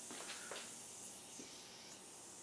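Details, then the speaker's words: Punctured tire sealed with Flex Seal, inflated with a 12 V plug-in pump: soft continuous hiss of escaping air; leaking through the Flex Seal patch, tops out around 11.5 psi. "it's leaking leaking from the plexi I don't think it's leaking from the flux glue"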